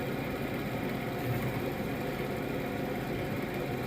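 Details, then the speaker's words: Rental Whirlpool refrigerator after condenser fan repositioned closer: steady even motor hum with low whir and slight rattle, normal acceptable fan noise. "That's the noise it's supposed to make. This. Light rattle. Not bad. Good enough."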